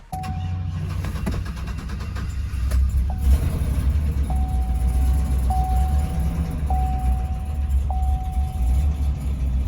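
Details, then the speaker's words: Auction truck just jump-started, cold: deep uneven idle with lumpy stumbling beat under a steady chime, runs rough and idles poorly, better once warm; misfire from a broken valve spring holding a valve open, dead cylinder. "was definitely running rough did run a lot better though after it warmed up"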